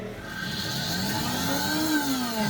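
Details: Multi-purpose blender after tightening the loose jar and its safety interlock pin, running with water: smooth whirring motor that swells slightly in pitch and settles, no grinding or rattle; runs normally.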